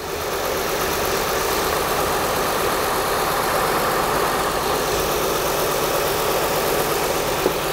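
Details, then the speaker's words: 2004 Acura TL 3.2L V6 after engine replacement, first start: quiet idle with slightly uneven, lumpy beat skipping now and then, flashing check engine light; owner suspects a bad coil pack causing one cylinder to misfire. "it's alive it's running a little rough and it's got kind of a misfire really not sure what that's all about but it is running it's quiet"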